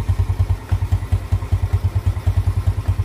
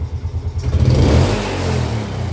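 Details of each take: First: Jupiter Z motorcycle after repair for idle that kept dying and weak power on climbs: even single-cylinder idle holding steady without hunting or stalling; idle now back to normal. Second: Yamaha Jupiter Z motorcycle that stalls at idle and feels heavy on climbs: a sharp throttle blip gives a heavy, lazy rev rise that falls back unevenly and it tends to die; the power feels heavy, suspected low compression.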